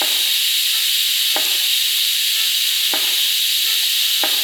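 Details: ARCCAPTAIN 200P AC/DC TIG at about 100 amps in DC on a cheap, likely coated offshore flange with filler rod: fast, clean arc start, smooth even high hiss with a few soft ticks; normal DC TIG arc.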